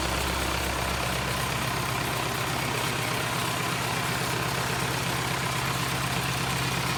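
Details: Cummins 4BT diesel, freshly started after battery charge, coolant routed through hoses: steady, even diesel clatter holding a constant low beat with no misses or knocks. Normal idle.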